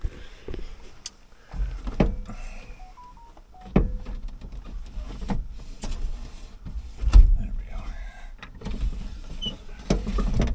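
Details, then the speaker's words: Chevy S10 driver power window: motor whirs in short bursts with irregular clunks and knocks as the glass binds; window came off its track while being demonstrated, needs fixing. "I also have a really bad problem with my driver window and I'll show you why and there it went I shouldn't have done that now it's all messed up"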